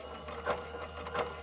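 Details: 1973 Aurora Skittle Bingo battery-powered toy game after repair; soft whirring with a light clack about every 0.7 seconds as the spinning mechanism turns, small motor running evenly; normal running.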